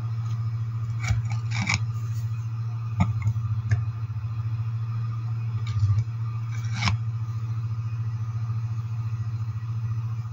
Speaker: Il ronzio che si sente è una cosa normale ed è dovuto all